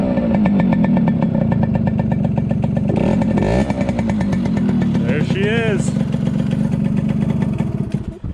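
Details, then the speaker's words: 1974 Yamaha RD60 two-stroke, first start after over 8 years of storage, running without choke: fast, uneven, burbly popping beat with rev blips midway, engine smoking; runs but rough after long sitting. "so no choke so she's smoking which means good actually i want to check make sure her engine was good before i just take her on a ride"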